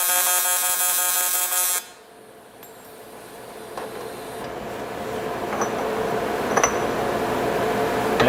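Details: TIG welder in pulse mode on an uncleaned junkyard barrel part: a harsh, steady buzz lasts under two seconds, then drops to quiet shop noise; normal pulse-mode operation, nothing wrong.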